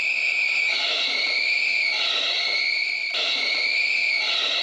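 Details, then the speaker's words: Worn-out serpentine belt slipping on its pulleys with a loud, constant high-pitched screech that wavers in pitch, present all the time with the engine running and worst under load from air conditioning or headlights. "It's this very loud, intrusive sound, and it will be present all the time. When you start the engine, especially if you turn on the air conditioning, if you turn on the headlights, and the serpentine belt is under load, it will start screeching very, very loudly."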